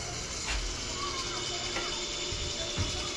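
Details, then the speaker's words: Steady gear-motor whir with light ratcheting as 24 volts from the relay is applied to the fresh-air damper actuator on a new Goodman heat pump replacing a Trane; the damper drives open normally, possibly too far. "And she's open. Probably too far. Might have to adjust it. But at any rate, I'll let them do that. I'll just tell them it's working now."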